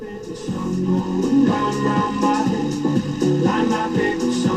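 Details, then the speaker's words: 1956 Loewe Opta Meteor 1781W radio after alignment: music sounds distorted, rough and gargling, with distorted bass, while voices sound all right; no better than before the alignment, cause not yet found. "That still sounds distorted. The bass is distorted. I'm not sure. Doesn't sound right."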